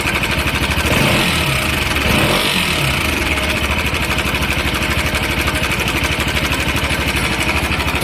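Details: Bajaj Pulsar RS200 motorcycle idling with uneven, rattly mechanical chatter over the exhaust beat, steady throughout; engine noise, cause unclear.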